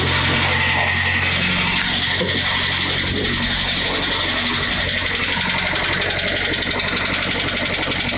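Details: Kia Sportage with G4KD petrol engine, 97,000 km, cold start: steady hollow knock about four beats a second at idle, piston knock from scored cylinder walls found by endoscopy, likely from repeated overheating.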